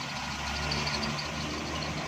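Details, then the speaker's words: XLI 1.3 on CNG after tuning and air filter advice: even, steady idle hum with no skipped beats; misfire completely gone. "तो इसकी मिसिंग वगैरह गाड़ी की बिल्कुल ख़त्म हो गई है।"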